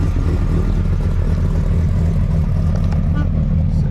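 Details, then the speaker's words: 765hp Dodge Ram SRT-10 Viper truck V10, returned to its owner after 6 years: deep, even rumble pulling steadily with no knocks, ticks or misses; engine sounds healthy. "So, but we're gonna get this thing off. It sounds good. We reunited this classic truck to the owner."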